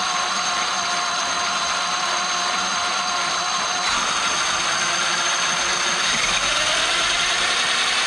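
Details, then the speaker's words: Traxxas X-Maxx after the cushdrive repair (the cushdrive had been chewing the spur and pinion gears): a steady high motor whine with gear noise that holds even and no longer surges high-low; the drivetrain runs normally. "you can hear how it's real consistent now it's not going high low high low high low like the last video"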